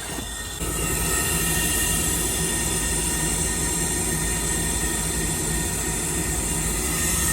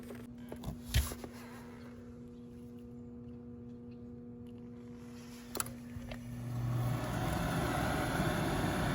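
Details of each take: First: 2002 Trane gas pack with no heat, short cycling, four-flash high limit open: steady high-pitched squeal over a constant motor whir from a failing inducer motor, likely bearings; blower motor also bad. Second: 2002 Trane gas pack with a no-heat short-cycling fault, after repair: the motor spins up smoothly from about six seconds into a steady hum with no rattle or scrape on startup for heat; sounds healthy.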